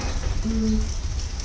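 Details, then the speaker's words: Husqvarna GT52XLSi lawn tractor, 24 hp Briggs & Stratton, not fully warm, after replacing carburetor jet O-rings to cure surging: even, steady low rumble with no hunting or surging; runs smoothly. "anyway purrs like a kitten real fast it's not really warm you nice place okay I don't know if you can hear me talking through that but it's uh it runs perfect now"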